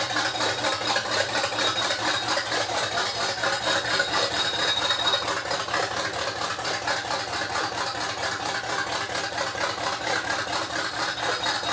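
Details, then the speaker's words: G-body El Camino after carb conversion with no computer, running on open unmuffled headers for about five minutes: loud, raspy, steady idle with even pulsing, no misfire or knock; running normally. "what I'm doing is I'm letting it run it for running for about five minutes i'ma let it run a little longer"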